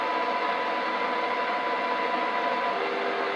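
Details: Kenwood TS-950S digital HF ham transceiver, fed a strong 90% modulated signal-generator tone: steady loud hiss with only a faint even tone beneath, no S-meter reading; deaf receiver.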